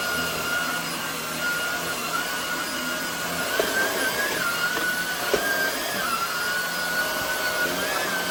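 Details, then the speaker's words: Hoover WindTunnel Air fitted with a new Shark rotator motor, replacing an old motor that sounded poor. A steady, even high-pitched whine holds constant, with no rattle or grinding. The vacuum motor is running properly. "I felt like it was only made sense to put a new motor in this. Yeah. Be right back and show you how this thing running. So, here's what the new motor sounds like."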